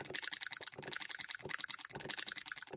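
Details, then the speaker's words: Hand-built hit-and-miss solenoid electric engine model with ball governor, supply voltage lowered: rapid light clicks in uneven bursts, strokes in quick pairs as it fires twice to throw the governor balls out. "let's drop our voltage down and listen to How it changes e here how it's double stroking"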